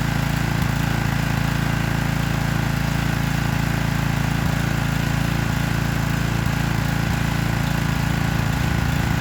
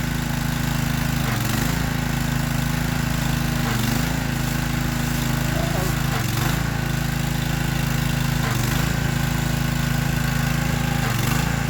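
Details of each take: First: Troy-Bilt pressure washer single-cylinder engine running unloaded after washing, no air filter, spark plug only finger tight and wet: quieter steady beat about four pulses a second, no stumbling or surging, healthy. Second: Free Troy-Bilt pressure washer small engine started to test the pump: note dips and recovers about every 2.5 seconds, hunting; cause found as carburetor jets clogged with dirt, not the wand or pump; jets then cleaned.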